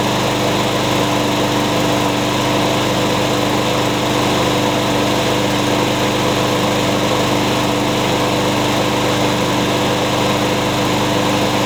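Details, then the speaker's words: Curb-found mower, blade-brake kill switch zip-tied, started with carb cleaner; steady even single-cylinder drone throughout, no misses or surging, sounds pretty good, rear-wheel drive works; normal running. "Well, how do you like that? It sounds pretty good. And the rear wheel drive works too."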